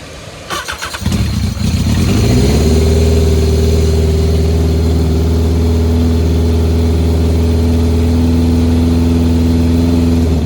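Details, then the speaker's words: Race car restarted after repairs on a partly charged battery (56%), checked for leaks: cranks, fires and holds a strong, steady deep drone with no exhaust ticking or puffing. Header bolts are holding; normal running. "well that's good our header bolts are still holding up"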